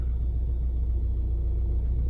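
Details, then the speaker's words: 2009 Ford Mondeo Mk4 2.0 TDCi diesel, started cold: heavy uneven low rumble at idle, strong vibration shaking the belt and car that does not go away as it warms; dual-mass flywheel fault. "Так у нас Ford Mondeo і є така проблемка Ford Mondeo 2009 року мій це моє авто 2.0 тдці двигун є така проблемка появилась вібрація на холостих обертах"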